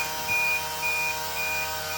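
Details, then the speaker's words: School bus, CDL pre-trip inspection, rear emergency exit door opened: steady high-pitched buzzer pulsing in short bursts; exit warning buzzer works as required, bus is out of service without it. "Check the handle. You'll hear the buzzer. Make sure the buzzer works. If you do not have a buzzer, the bus is down."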